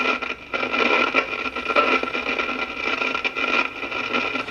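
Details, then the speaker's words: GE Model 403B AM tube clock radio, late 1950s–60s: constant hissy, crackling static with pops at every dial position, unaffected by the volume pot. The likely cause is faulty capacitors in the IF cans; the fix is gutting the cans and fitting new capacitors. "see it Statics no matter where you put it on the dial yeah I think it's we got some more crappy if cans"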